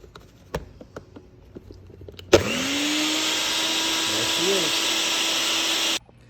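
After a few clicks the motor jumps to a steady high whir at constant pitch and stops cleanly, so the blender is running normally.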